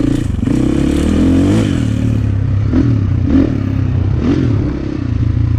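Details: 2004 KTM 450 EXC with Keihin carb, sat 6 years, on a test ride. The engine blubbers and hesitates as the throttle opens off idle before picking up, a rich stumble; fuel screw suspected too rich.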